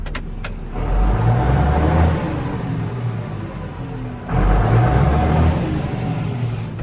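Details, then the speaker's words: Fendt 936 tractor with a newly fitted baffled exhaust, heard from the cab: two smooth rev swells with a low, quiet drone and no whistle on backing off; the exhaust sounds sound. "good news is the exhaust fits bad news is it's really quiet in the cab now"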